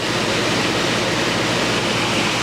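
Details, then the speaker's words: Early-1960s Philco Noiseless window air conditioner, opened during restoration: even air rush over a smooth steady low compressor hum, no rattles or knocks, starts right up and cooling; normal running. "it starts right up it runs beautifully that compressor sounds really good"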